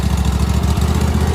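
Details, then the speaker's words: Old riding lawn mower with a brand-new engine just installed, started with a little choke on a boost pack: small single-cylinder engine putting along at a fast, even beat without misses or knocks; runs cleanly. "brand spanking new engine sounds good"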